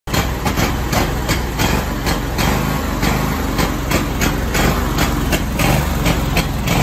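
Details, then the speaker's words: Scag Tiger Cat II mower, first start of the year with a weak battery: steady idle broken by irregular hammering misfire thumps, gradually improving; weak battery caused the rough running. "I've never had it start like this before. Like it's, I don't know if it's just got to get itself cleared out."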